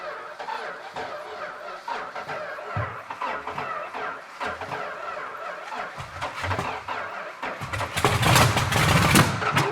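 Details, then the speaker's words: Vintage Dodge Challenger, V-code six-pack car refitted with a 4-barrel, not run since the 1970s (about 30 years); uneven cranking chuffs about three a second, then catches and roars briefly on priming fuel before faltering, caught fire: first start after long storage. "The good news, it runs. The bad news is it's on fire."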